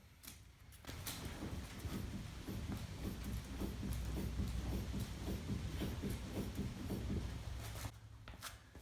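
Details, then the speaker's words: Chevy Cruze front suspension pushed up and down by the fender in garage: rapid hollow clunks and pops, three to four a second, from worn front sway bar links, before replacement with Moog links. "suspension go up and down it's kind of making that noise so I should be able to just let him pull up and down on the fender and I should be able to simulate that noise"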